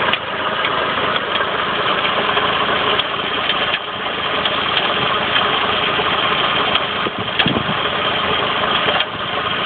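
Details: Saab 9-5 petrol engine idling with a faint metallic knock, metal on metal, from the left side of the engine near the engine mount; began a couple of days ago, and an overdue oil change had been done.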